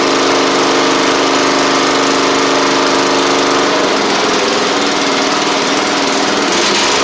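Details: Troy-Bilt Pony mower with swapped-in Briggs & Stratton flathead (replacing Powermore; new Briggs carburetor, 12.5hp air filter), final test with hood back on and fresh oil: smooth, even single-cylinder chug at steady speed, no misses, knocks or rattles; normal running.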